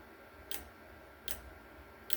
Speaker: so just turn the volt to drop here and uh it's it's oscillating so you can see it's working there you can hear it clicking away